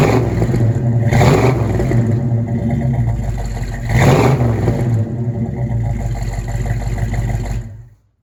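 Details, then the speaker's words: Buick V8 (one of the project cars: 1971 Gran Sport with bored 455, 1970 GS 455, or 1970 Skylark GS clone with 455) with smooth idle and two clean revs, no knock or clatter, sounding much better after tightening to cure a noise; normal. "so i'm going to continue to tighten them sounds so much better"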